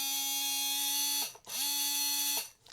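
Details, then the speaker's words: Tamiya Hornet with Sport Tuned 380 motor: a high whine spins up, holds and winds down twice. The motor feels rough and gets warm; the owner suspects he burnt it out by running it too hot without rests. "Yeah, that does not sound kind of smooth or nice. I don't know."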